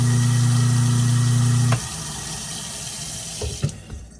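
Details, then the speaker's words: Kitchen garbage disposal after reassembly, following diagnosis of an open thermal overload and stubborn bone pieces, run with water flowing: a steady low hum, no clanging or rattle, then a clean wind-down. It runs free and healthy, versus the earlier high-pitched clang. "And that is a much better sound. That's what you want to hear from your disposal, that low hum. You don't want to run it for too long, especially when you're not feeding things through the disposal."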